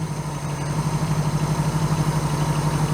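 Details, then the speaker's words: 1982 Honda GL1100 Goldwing flat-four with a single Solex-type carburetor conversion, warmed up, choke fully open, gauge at the low end of operating range: smooth, even idle pulsing about four times a second, still too fast; nearly out of idle screw. "Well, we can see on our gauge that we're up in the operating range, even though it's at the lower end of it. Still idling kind of fast."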